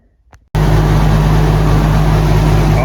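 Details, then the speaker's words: Oliver Super 88 tractor at normal idle after installing an original hillside hitch with a new hydraulic cylinder: deep, steady idle with even firing pulses and no knocks, misses or hunting; a good running tractor. "You can hear I have the Super 88 running. It is a good running tractor, I'll say that for it."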